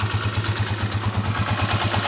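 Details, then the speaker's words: 20-year-old Honda TMX155 single, first start after overhaul, break-in period: even steady thumping about ten beats a second, no knock or rattle, earlier rough running and noise gone; normal idle. "oh kaganda na naman ng kalugkog niya mga kao wala na yung miaw wala na yung magaspang naandar"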